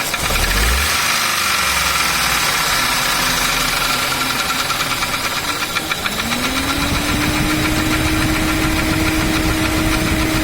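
Hollow, irregular knocking under a rough three-cylinder idle, with a tone coming up midway; that's the slap of a scored piston.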